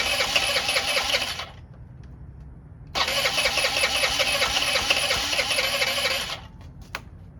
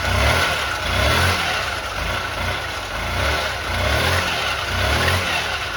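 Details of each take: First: Honda Elite 80 (CH80) scooter, long-sitting, before carb removal: catches and buzzes a second, dies, fires again and cuts out with no throttle response. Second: Honda Elite 80 (CH80) scooter after carb cleaning and hot-water soak of the diaphragm, warming up: even buzzing idle with gentle swells on throttle blips, no misses or knocks; fixed, cause uncertain between carb junk and stiff diaphragm.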